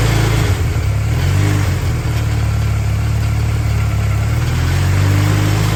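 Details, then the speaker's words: Restored go-kart engine after the kickstand switch and lighting wiring were reconnected: picks up cleanly from idle and revs freely in gear with no misses or knocks; now runs as it should. "all right so it's a couple hours later and uh the go-kart runs I can put it into gear and rev it up so that's the good news"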